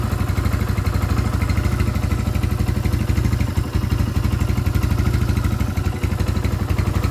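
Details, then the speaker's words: Scorpio motorcycle single, first start after timing chain replacement with a genuine part: a quick, even thumping beat with a steady deep exhaust note and no top-end rattle. Idling cleanly; the valves are safe. "Set Scorpio sudah selesai, kawan. Mesin siap dinyalakan. Syukurlah, bagian katupnya aman, kawan. Tidak terjadi tabrakan karena mesin bisa menyala ."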